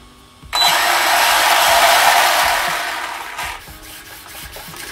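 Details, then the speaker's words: Arrma Big Rock RC truck converted with Arrma Senton parts and an upgraded Hot Racing spur gear with gear mesh set, tested forward and reverse; smooth rising motor whir, then wind-down, no clicking or grinding; normal drivetrain run. "all right very good all right everybody so now that we know everything is working great"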